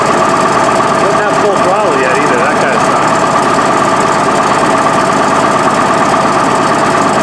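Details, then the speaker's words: Case 1150B crawler dozer diesel, ice cold, just after two broken injectors were replaced. Loud idle with an uneven, lumpy beat near three a second and hard clatter, missing and smoky. Owners suspect the injectors aren't bled or primed yet and it needs to warm up. "Sounds terrible. That's cleaner now. I think it's got to prime up some injectors."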